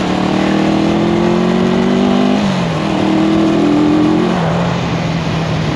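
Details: 1974 Honda CB360 twin, test ride after fixing the number two carburetor, found to be the culprit: revs up cleanly through the gears and drops back smoothly with no hesitation. Running healthy.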